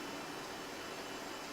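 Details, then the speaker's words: Modern fan, never oiled, first start of the season, running on low with oscillator off: soft, even airy whoosh with no rattle, hum or scraping, running smoothly and better than anticipated. "see if it'll actually oscillate well it's working better than i really anticipated it too"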